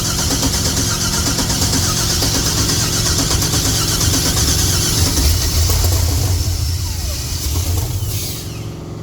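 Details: 1964 GMC truck after a rewiring job: long steady cranking with only faint stumbles that never build into a run, then winds down; no start with no fuel pressure.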